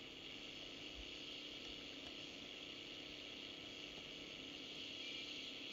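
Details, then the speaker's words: Unitra Eltra Ania MOT-711 long/medium-wave radio receiver, with aged dried-out capacitors, on long wave: only a faint steady hiss, no voice or music; powered but receiving no station. "radio szumi jak zresztą pewno słyszycie niestety trudno zorientować się czy łapie program Polskiego Radia"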